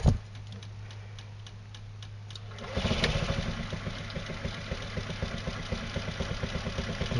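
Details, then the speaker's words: Scooter being set up to run on hydroxy gas, fuel line clamped before the fuel pump, cell off: quiet ticking, then it catches into a light, slightly uneven putter, running only on fuel left in the carburettor. "hear it running a little bit so there must be still a little bit of fuel still still a theit fuel in the carburetor so we'll try it again"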